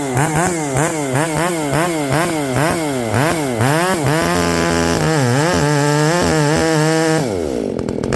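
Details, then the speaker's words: Ported Echo 670 chainsaw, first time cutting wood after porting, tune only roughly set: crisp two-stroke revs rise and fall with the trigger, then pull steadily in the cut without bogging. Normal running under cutting load. "I fired it up. Sounds good. Feels good. This will be the first time putting it in the wood."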